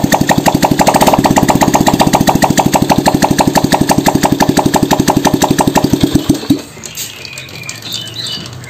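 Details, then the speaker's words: Honda Revo Fit fuel-injected motorcycle after service, with camshaft bearings 6904 and 6001 replaced and the throttle-body idle air adjuster fixed: even, steady single-cylinder putter with no knocks, then shut off; oil change still pending. Normal idle. "suaranya cukup halus tinggal ganti oli sama pemasangan tutup sini"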